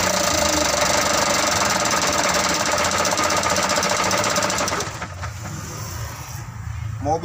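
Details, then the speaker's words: Mitsubishi Canter 125 diesel hard to start; it clatters hard for a few seconds then fades and stalls, won't hold idle; fuel injection pump suspected. "ini sudah tidak mau langsam"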